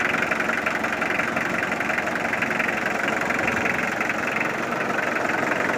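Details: Mitsubishi Triton 4D56T turbo diesel just started after 10 years laid up, timing belts and battery new, fuel unchanged: diesel clattering at steady idle about three beats a second, no misses, running evenly; normal idle.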